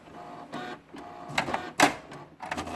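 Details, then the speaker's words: HP Deskjet F4480 printer jamming paper, after encoder strip cleaning: uneven whirring carriage travel with sharp scraping rasps; misaligned print carriage rubbing the printer housing. "ela tá pegando o carro de impressão na carcaça da impressora ó a ver quando ela movimentar o contrário"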